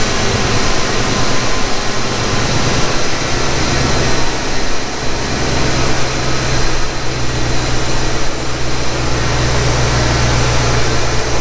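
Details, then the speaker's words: 1991 Ford Mustang GT Foxbody V8 on a true cold start after a throttle body cleaning and overhaul: an even, deep, steady idle with no hunting or surging, where before it hunted for an idle speed. The fix worked. "let it idle down here a little bit well that's a heck of a lot better than what it was before i'll tell you that much yep that fixed it"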